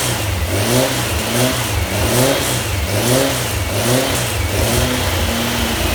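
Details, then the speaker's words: Freshly built VW Type 1 1600 flat-four (74 x 85.5) with stainless mufflers, first start, held at raised rpm to break in the cam: busy, steady speed with a slow swell about once a second, no knocks or rattles; normal break-in running. "yeah that's the type of one i want to break cam in a little bit though so that's why i got the rpm up yeah that sounds good"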